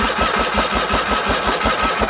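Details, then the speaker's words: Original 1980 John Deere 317 lawn tractor, not run in about 3 years after an electrical fault: even starter chug, about six beats a second, never catching; cranks but no spark, battery 12.5 V, 9.8 V at points, a wire later replaced. "now still no right that's not what I wanted to see"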